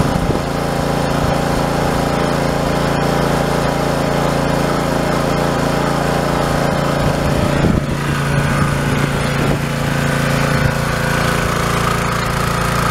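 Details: Pressure washer small single-cylinder engine, first run after bleeding air from it: settles into a steady, even drone with no misses, knocks or surging; running properly.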